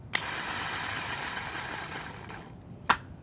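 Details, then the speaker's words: 2006 Honda Accord starter: a click, then a high whirring spin for about two seconds that fades before a second click; the starter runs briefly then dies mid-crank. Starter suspected, not confirmed. "and then it dies I let go so it's the starter starter will will run for a little bit and then it'll just die"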